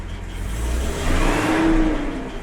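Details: Jaguar XJ with Stromberg 175 carburettors, cold start on choke after adjusting the water chokes and turning the fast idle screw up one turn. It revs cleanly and evenly with no lean backfire; an idler pulley noise is audible.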